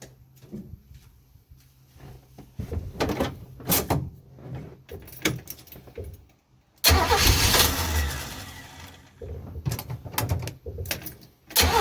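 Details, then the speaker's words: 1967 Chevy 250 inline-six van during tune-up, test start after fitting Ford spark plugs: uneven cranking bursts, catches at about seven seconds and settles into a steady run; starts and runs fine. "Okay, looks like it's running fine. With those Ford plugs, maybe it'll run like a Ford."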